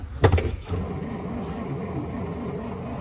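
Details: 1939 Dodge D11 sedan, not run in about 20 years, new battery, in neutral, starter button: after a clunk the starter spins the engine over with an even low churning rhythm, about three beats a second, turning freely; spark and fuel not yet checked.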